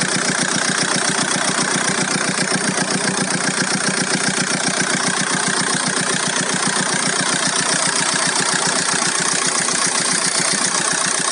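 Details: VW Golf 4 1.9 TDI 115 4Motion diesel at idle: steady idle with a sharp, very regular clatter at about two and a half beats per second on top; owner hears a strange engine noise, source unknown.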